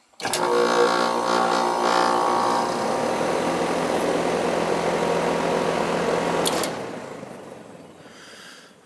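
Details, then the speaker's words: American Standard AC outdoor unit that wasn't running, after replacing a chewed wire that blew the indoor fuse, 220V confirmed: kicks on cleanly into a steady even hum, no buzzing or chatter; normal startup. "it's starting. I'll have them turn it on inside. I know the charge is good. Might have been a bad wire or something."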